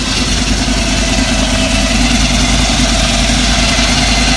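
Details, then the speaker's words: 1933 Ford pickup hot rod, crate 350 Chevrolet V8 with BDS 6-71 blower, twin Holley 600 carbs, Voodoo cam, MSD ignition, just started: strong, lumpy idle holds steady with faint steady supercharger whine on top; normal, well tuned. "And there's that beautiful supercharger whine that's, again, just absolute music to the hearts, to the ears of any car guys out there."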